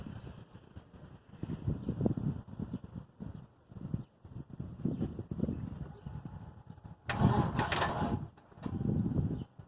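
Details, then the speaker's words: LS1 V8 Camaro, owner thinks the motor may be blown, cold start attempt after changing spark plugs and header gasket: several short bursts of slow, uneven starter cranking, never catches; cranks without starting. "So I guess we're gonna have to give it a moment. I'll give it about 5 minutes, then we'll crank it."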